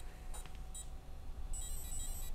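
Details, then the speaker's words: Castle Creations Cobra 10A ESC on bench with inrunner motor: short high chirps then a longer steady beep, normal Castle startup arming tones, not very loud with an inrunner. "not super loud on that because we're running an inrunner right now"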